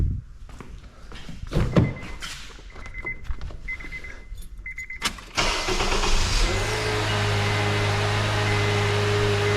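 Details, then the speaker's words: 2011 Honda Accord after replacing the failed starter (the no-start occurred despite a new battery): clicks and a window motor, then a brisk, short crank and the engine catches into a steady idle. Voltage drops only to 11.02 V versus about 7.1 V with the old starter, so it now cranks normally. "so the current draw was much much more severe with the old starter the starter's working normally and it sounds much better"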